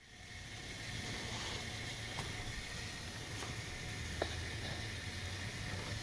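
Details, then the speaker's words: Engine block heater plugged in and warming: soft seething hiss like a kettle coming to the boil, with occasional light ticks as the block metal expands, showing the heater is working properly. "เพียงเสียบปลั๊กตัวทำความร้อนแล้วรอและฟังคุณจะเริ่มได้ยินเสียงคล้ายกับเสียงกาต้มน้ำไฟฟ้าฟังดูเหมือนของเหลวเริ่มเดือดและบางครั้งก็กระตุกเมื่อโลหะในบล็อกเครื่องยนต์เริ่มขยายตัว"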